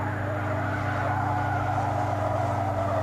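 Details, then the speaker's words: Racing-school car cornering at its grip limit with a steady engine drone under a wavering, high-pitched tire squeal, during an oversteer demonstration. "We're right on the edge, you can hear the tires squealing."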